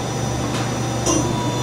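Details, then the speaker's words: Okuma & Howa Millac 438V 4-axis CNC vertical machining center (1998, 17,700 cutting hours, Cat 40 taper, no tool) spindle at about 1,000 rpm (2,000 with 50% override): smooth, even whir with steady hum, no knocking or grinding; normal healthy spindle. "So we're running currently at about 1,000 RPM. And we'll just ramp it up one notch at a time up to probably 3,000 RPM."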